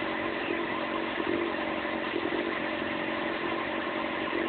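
Inline-four idling unevenly, the beat wavering and stumbling instead of holding steady; a rough, hunting idle, cause not yet found.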